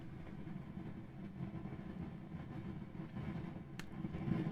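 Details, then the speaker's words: Vintage Pioneer SX-838 receiver, warmed up after running a while: irregular low rumbling crackle with a sharp pop from one channel, from a failing transistor with a bad internal connection or cracked silicon, possibly a bad solder joint. "that is characteristic of a transistor that's gone bad it has a bad internal connection or the Silicon crackers is cracked"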